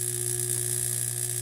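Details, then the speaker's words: Salamander heater on its high temperature setting: a constant low electrical buzz with no airflow. The motor is energised but the fan barely turns, and the owner hopes taking the fan apart to clean it will fix it. "we cranked it over the top or high temperature this thing is buzzing"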